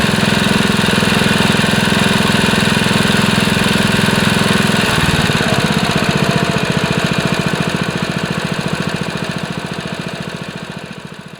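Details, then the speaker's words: Honda HR215 5.0 hp mower engine rebuilt after over-revving, with new governor gear, mainshaft seal and sump gasket, throttle cable readjusted, first run: even single-cylinder putter, smooth and steady before winding down; healthy. "Alright, here goes nothing. First pull. Sounds good."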